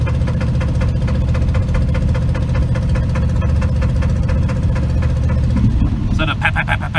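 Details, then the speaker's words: 1983 Chevrolet C10 with SBC 350, 204,000 miles, driving: fast even ticking over V8 rumble tracking engine speed, with squealing; exhaust leak plus suspected top-end fault such as burnt valve, bent pushrod or misplaced rocker arm. "is an exhaust leak but the squealing the squeaking i've got something going on in one of the cylinders i've got a um i think it's something in the top end"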